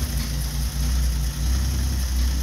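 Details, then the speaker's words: Old Nash flathead six, 6-volt positive earth, first start after long storage, blew black soot; low steady chugging idle with slight rhythmic lope, no knocks, idling fine. "that's awesome makes me happy kind of blew some black soot all over but he's running all right"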